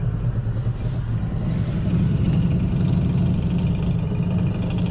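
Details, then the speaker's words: Overland expedition truck after dirt road, above 10 mph around 15 mph: heavy low rumble, intense vibration and irregular metal-grinding rattle over road noise; source unknown. "this crazy intense vibration, this crazy rattling. It sounds like some metal grinding. It's not good."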